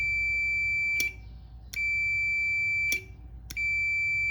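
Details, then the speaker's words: IWELD TIG160 welder with no high-voltage output, normally-open relay with a 24 V coil: power applied, contacts close; crisp high meter continuity beeps under a second, repeating about every second. Relay switches fine. "แต่ถ้ามันไม่ปกติคือเราจ่ายไฟให้เขาทำงานเพราะเขาต้องมาเสียแต่2ตัวนี้ก็จะเชื่อมหากันก็เป็นสวิตซ์เท่านั้นเองนะครับ"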